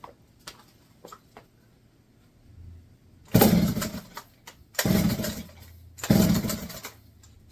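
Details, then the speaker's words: Barn-find McCulloch 1-80 chainsaw, first run in 30-40 years, running with no exhaust/muffler fitted after spark, compression and carburetor were sorted. Three loud raw bursts as it fires and is blipped, catching cleanly. "First run in what, 30, 40 years?"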